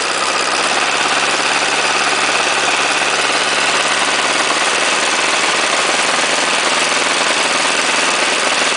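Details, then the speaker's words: Chinese 418cc diesel, first run, temporarily mounted on a snow thrower at 30°F: busy, uneven clatter on acceleration from low rpm; owner unsure of cause, considers checking valve clearance or break-in. "watch the rattle on acceleration to from a low rpm I'm sure if I really like that but I'm not sure what I can do about it either"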